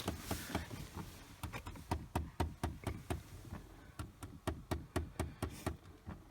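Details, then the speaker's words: 2010 Chevy Equinox, key on and engine off: sharp plastic clicks, about three or four per second in uneven bursts, from under the dash; failed hot/cold blend door actuator, replaced. "this is a is is an actuator that has gone bad in this particular vehicle"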